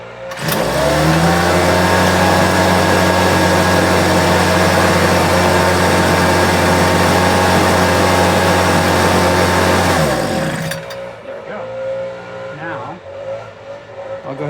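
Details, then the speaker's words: Homelite UT08572 small two-stroke after repair, several pulls needed; catches and settles to a steady even buzz about ten seconds, no smoke; compression later 123 psi; normal running. "Surprised it didn't smoke. I guess it just dealt with the oil that was on there. However, it did it. Running really clean. Took a minute to get that fuel to it."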